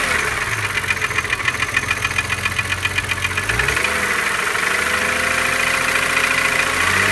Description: I have this ticking noise in my BMW E36 M3 3.0 with S50B30 engine and I have no idea what it can be.